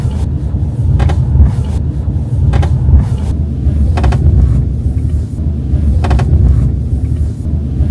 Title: Subaru Forester February 25 2025 - creaking noise in B-Pillar Passenger Side come back after repair